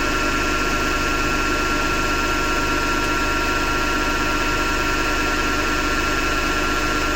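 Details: Hotpoint Ariston FMD963 washing machine running: steady coarse grinding with faint rhythmic churn; owner suspects the noise comes from the motor rather than the drum, to test with belt removed — not confirmed.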